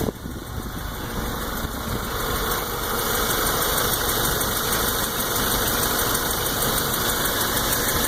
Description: New 2014 GTI, 1,000 miles, ticking sound from lower part of the engine and increases with RPM's.